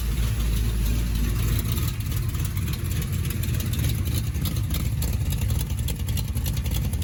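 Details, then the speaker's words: 383 stroker V8 in a 1972 Chevrolet Camaro, sat since 2011, with a large hydraulic flat-tappet cam: loose, lumpy idle with sharp ticking puffs on the firing pulses from a leaking exhaust header, strong enough to blow a rag. "let's slip it on the header there is what is pretty much just sounding terrible"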